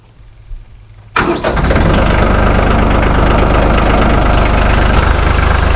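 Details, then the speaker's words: 2019 Branson 3015H diesel tractor at 300 hours, started after maintenance including a fuel filter change; it cranks briefly, catches quickly and settles into a steady, even diesel clatter; normal start and idle. "sounding good so far we are going to get this all cleaned up because it is nasty"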